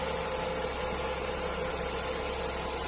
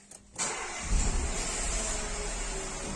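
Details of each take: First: Renault Clio 4 1.2 TCe after repair of its clacking timing chain, restarted with fresh clear oil and warmed a little: smooth, even petrol idle with no more clacking, and engine power restored. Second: Renault Clio 4 1.2 TCe petrol engine starting: harsh metallic clatter over the first seconds of idle, with loss of power and doubled fuel consumption; slack timing chain.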